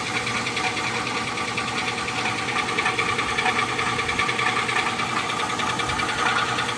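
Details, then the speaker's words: 2005 Chevrolet Tahoe Z71 at idle: sharp, fast rhythmic knock, about three per second, over the idle; owner suspects a bad rod, no engine shaking, no metal shavings seen in oil, louder from underneath; cause unconfirmed. "Do anybody know what could cause this sound? Could it be a borrowed rod?"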